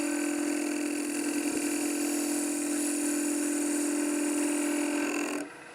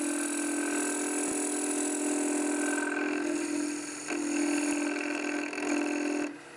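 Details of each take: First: If I close it back down, try to make the cut, you hear it, it's banging the bevel. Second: Wood lathe turning a hollow sphere: a steady, even hum with a smooth cutting hiss and no banging. With the tool's edge opened and its attitude changed, the bevel stops banging and the cut runs clean.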